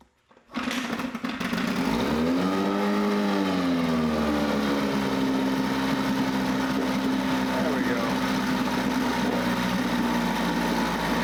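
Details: Mercury 9.8 hp 110 outboard after fixing a tucked-in pull-starter tooth that was jamming on the flywheel: it catches quickly, revs up and down, then settles into a smooth, steady buzz. Running normally; it later stalls, owner thinks from low fuel.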